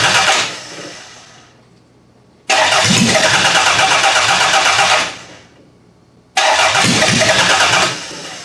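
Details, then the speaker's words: Demolition-derby car engine from a garbage pile: two long bursts of steady even cranking, never catches; no spark on a test plug, water coming out, owner suspects a bad coil pack. "usually they fire up a lot easier than this it's either that or I have a bad coil pack"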